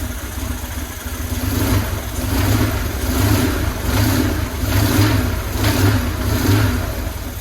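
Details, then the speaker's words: 2000 Buell Cyclone M2 V-twin, first start after installing new lifters to cure lifter tap: steady loping idle at about seventy pulses a minute with no ticking; only normal breather noise. "Sounds like a runner. Only noise I got is just from the breathers, which that's not unusual because this stuff is sealed off. But aside from that, it's running."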